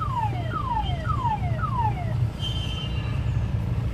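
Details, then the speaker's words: Mahindra Bolero front wheel: falling metallic squeal repeating about twice a second over low rumble, caused by gravel trapped between front brake disc rotor and dust shield cover. "अब इसके बीच में गिट्टी कहीं पर फंसी है, इसके कारण ये आवाज़ कर रहा है।"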